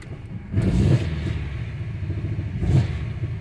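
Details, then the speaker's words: Dodge/Jeep 2.4 with replaced computer, throttle body and engine, many stored codes, misfire on cylinders 1 and 2 and coil: two sluggish revs with ragged, popping exhaust beat; unstable engine, misfiring under throttle. "se escucha perfectamente la falla y sin moverle yo se escucha muy feo el motor"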